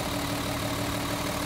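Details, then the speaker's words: Mercedes 280 SE pulled from storage, missing and shaking at idle: rechecking number two, pulling its lead gives no RPM drop, so cylinder two is malfunctioning, cause unknown yet (spark plug, lead, low compression or plugged fuel injector); uneven lumpy idle, pulsing low drone. "okay let's go back to number two here and just check this one more time look at that no RPM drop on number two so this is a cylinder that's malfunctioning"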